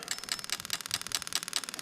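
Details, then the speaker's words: LS400 96-97 non-VVTi V8 injectors tested on a new plug-and-play harness for an IS200, checking cylinders 7, 2 and 4; crisp, evenly spaced ticks about five per second on a quiet bench, injectors firing cleanly and normally. "yeah that clicking away let's go get a number two yeah they're clicking away let's go to number four clicking away"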